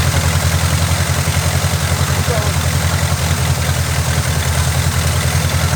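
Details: Oldsmobile Cutlass, Quadrajet-carbureted Rocket 350 V8, idling: even, steady low rumble with no stumble or hunting.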